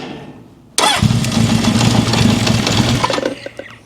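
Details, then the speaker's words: 1972 Honda CB750 Four, restored bike: brief rattly crank, then the four-cylinder catches and runs rough and uneven; rattle suspected in the reducer starter gear or starter itself, not confirmed. "I think that rattling and stuff I'm hearing is in that reducer starter gear or the starter itself. It's making a crazy noise."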